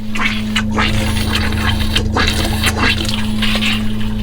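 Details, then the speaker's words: Caravan/RV hot water tank being refilled after anode rod change: steady water pump hum while open tap sputters and spits irregular bursts of air and water, purging air until constant flow shows tank is full; normal. "I've got the tap open and I'm purging all the air out and filling up my hot water tank. I don't know if you can hear or not, but my pump's filling it up, I can hear it."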